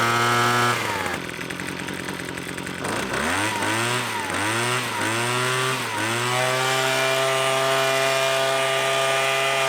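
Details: Leaf blower two-stroke after carb jet adjustment that had previously bogged: revs up and drops back cleanly several times, no bog or stumble, then settles to steady idle; normal running.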